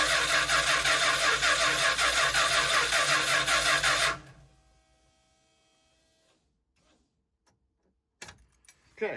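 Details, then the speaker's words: Vintage motor home 440 big block converted to fuel injection, needing about 50 psi with an adjustable regulator: even cranking at about 160 beats a minute for four seconds, never catches; fuel pressure not reaching engine, throttle blades barely damp. "we still got problems. Uh, I don't know where all our fuel pressure is going, but it's not going into the engine. You can see the throttle blades are just barely damp."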